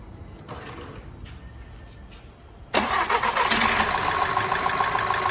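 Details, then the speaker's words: Skoda Superb 1.8 TSI petrol after engine repairs for misfiring, hunting, oil light and cam position code: quick clean crank and catch into a smooth steady idle with no miss; engine runs healthy. "देख सकते हैं गाड़ी का engine एकदम stable है बिल्कुल भी हल्की सी भी मिसिंग वगैरह कुछ भी नहीं है गाड़ी के अंदर ग"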